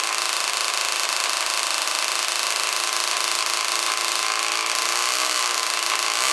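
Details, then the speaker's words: Yamaha Zuma bugeye two-stroke scooter with Polini 70cc kit and Yasuni R pipe, revving: harsh, raspy buzz so loud it sounds like an open exhaust, yet the head isn't leaking; the aftermarket pipe itself is excessively loud. "this pipe is terrible dude this thing sounds like almost like what a two-stroke sounds like when you don't have an exhaust on it's so loud"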